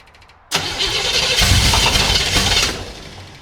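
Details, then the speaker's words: 1975 Chevy Monza 2+2 with swapped-in 350 small-block V8, sat about 20 years: engine barks into life, stumbles roughly about two seconds and fades out; timing light shows no spark, traced to a faulty distributor. "Yeah, I'm not getting any light out of this thing."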